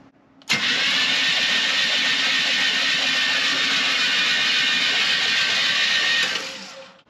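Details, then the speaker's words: 1984 Chevrolet C10 that sat about 20 years in a garage, first crank attempt with the fuel line still connected: steady, even starter whir for about six seconds, no grinding or clicking; starter cranks normally. "starter works that is Success right there that's a good sign"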